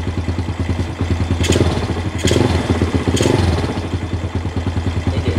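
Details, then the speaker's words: Honda EX5 with newly fitted Taikom racing clutch bell and auto clutch, short throttle blips: even putter, clean revs, no clutch rattle or clatter, sounds stock; gear ratio may still need sprocket adjustment; normal revving. "Alhamdulillah bila kita pasang mangkuk clutch daripada Taicom ni, enjin bunyi senyap."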